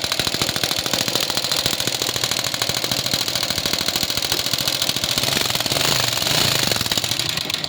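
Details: Rusi motorcycle engine, brought in for loud noise, oil leaks and now hard starting: loud rapid metallic clatter, three or four hits a second, from the top end. Mechanic plans to strip the head.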